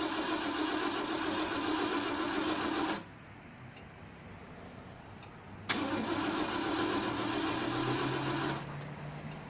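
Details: Engine that won't start: two spells of fast, harsh whirring cranking, about 220 beats a minute, engine never catches; starter sounds different from before.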